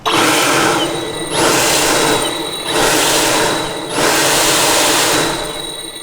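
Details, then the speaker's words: Single turbo removed from a modified BMW E90 335i N54 (about 700 hp, 30 psi boost), spun by hand: hissy whir with dry scraping edge; excessive shaft play, doesn't spin freely, blades rubbing housing. "ah first of all it's not supposed to be that noisy it's not supposed to have that much play it has a lot of back and forth motion play and you guys can see it doesn't spin freely"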